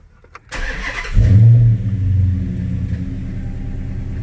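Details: 2009 Dodge Challenger SRT-8 V8 after new evap purge valve install and code clear: cranks briefly, catches with a strong low roar, settles into steady even idle with no misses or ticks; healthy start, awaiting drive cycle.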